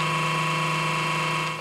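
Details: PC power supply unit before repair: loud steady whir with a high whine on top, turbine-like, then dying away; noisy power supply fan, fix is cleaning, lubricating or replacing it.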